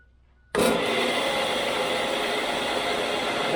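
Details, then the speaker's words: 1985 Grizzly G1021 15-inch planer, 2 HP motor, just fitted with a helical cutterhead, running empty; spins up quickly then holds a smooth even hum, far quieter than before (owner suspects an old bad bearing): normal unloaded running. "that is so much quieter wow they always talk about how spiral cutter heads are 10 times quieter I didn't even run material through that and that was at least 10 times quieter than what the machine was before"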